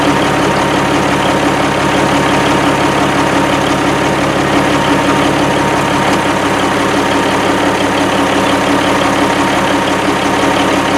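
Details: 1987 Kenworth T600 3406B diesel at its first start after sitting in a field over 20 years, with the batteries not charging: steady, even idle with no knocks or misses; it runs clean with excellent oil pressure.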